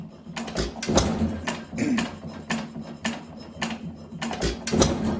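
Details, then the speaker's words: 1920 1.5 hp Alpha De Laval (John Lauson Frost King Jr) engine, governor adjusted about as far as it goes without adjusting the governor spring itself: firing thumps with a light metallic tap each cycle as cam strikes follower; cam follower adjustment or swapping to a washer could reduce it. "We could adjust the cam follower yet so that the cam, so when the cam touches the cam follower, it doesn't tap so much."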